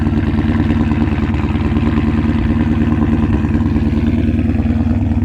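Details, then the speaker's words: 2012 Mustang GT on cold start, after new spark plugs, coil packs, O2 sensors and MAF sensor and cleared codes: steady idle with a faint occasional stumble, much better than before. Owner suspects near-empty fuel (19 miles to empty). "So, it's still got a little skip. Uh, you know, that could be because it's only got 19 miles to the gallon left or 19 miles to E."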